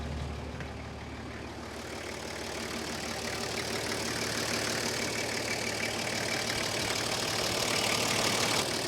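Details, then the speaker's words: Toyota HJ45 diesel, first start after sitting 7 years, glow-plug preheated: even diesel clatter at steady idle, no exhaust leak puffing or ticking now that the extractors are bolted up; fan belt slightly wobbly. "bolting those extractors up has really eliminated that noise it was obnoxiously loud earlier when those extractors weren't bolted on"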